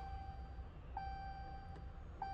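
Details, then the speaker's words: Mopar vehicle with intermittent no-crank after starter replacement: a clear single-pitch key-on chime repeats about every 1.25 seconds, showing the bus network is up; fault suspected in the key. "anytime you hear the chiming the bus network is up but if not okay this is an intermittent no crank"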